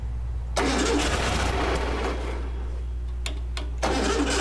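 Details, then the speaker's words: Classic VW Beetle after an express carburetor clean and rebuild for hesitation, with the idle mixture screw about 5–6 turns out and a little gas needed because the carb was empty. The starter grinds briefly, then it catches into a steady, even idle; a normal start. "Beauty. Idling good. Let's let it warm up a little bit."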